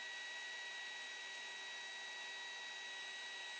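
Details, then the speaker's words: Small cooling fan added to a WD MyCloud drive that overheated during large backups: quiet airy hiss with a constant high, thin whine at fixed speed; the noisy fan is to be replaced. "you can hear the noise level there bit annoying a bit of a wine to this fan doing"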